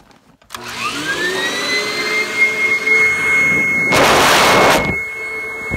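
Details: 1997 Kirby G5 upright vacuum with metal fan, running in blower mode: motor spins up to steady high whine with smooth even airflow rush; fan sounds like a vintage 500-series Kirby; normal running.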